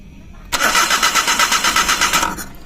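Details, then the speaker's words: Suzuki Every/Scrum engine right after throttle body cleaning, 15 minutes drying, fuel pump initializing; about two seconds of rhythmic cranking then quits without catching, believed leftover cleaner still inside; slow start. "So ayaw amandar agad, may natitira pa sa loob."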